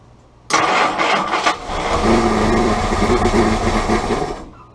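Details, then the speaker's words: Willys L134 Go Devil Jeep engine after condenser replacement, choke out: cranks, catches abruptly and runs rough a few seconds on starter fluid, then dies; burning oil. "so it's running on starter fluid right now definitely burning oil but we're not going to run it too much more tonight"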